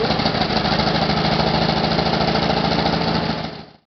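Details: WW2 American M22 Locust airborne tank: rough, uneven chuffing at about three pulses a second that fades out and dies, engine struggling to catch and keep running; hard start.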